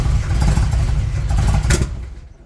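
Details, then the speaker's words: 1978 Monte Carlo, 305 5.0 V8 rebuilt 2004 with probably under 50 miles, Edelbrock Performer 600 CFM carburetor before rebuild: rough roar, sharp pop, then engine dies; hard starting, won't accelerate, backfires and stalls under throttle. "So right now I've been having issues starting it, and also when it gets started, or when it does start, it doesn't accelerate. Once I start trying to drive it, it just backfires and it turns off."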